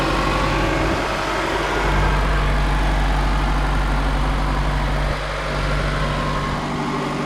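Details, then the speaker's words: 1991 Toyota Camry after one month on 0W-8 oil, cold start after sitting all day, oil pressure about 60-62: smooth, steady low idle with an even beat, no knocking or ticking, running the same as before; healthy. "So, as you can hear, it's still running pretty much the same as it was. Uh there's no additional knocking sounds or any other weird issues."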